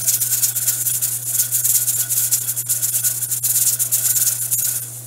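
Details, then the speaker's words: Pressure canner of potatoes with a weight regulator, heat turned down, during the 40-minute cook. Fast, uneven metallic rattle over a steady low hum, holding pressure. Normal regulator jiggling. "open here on out a little jiggler is gonna maintain the correct pressure we have a good seal because if we didn't"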